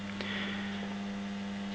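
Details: Homemade US-mains moving planet clock, with one motor driving the ring and planet rotation: a steady low electrical buzz with faint rattles on top as the motor vibrates noisily.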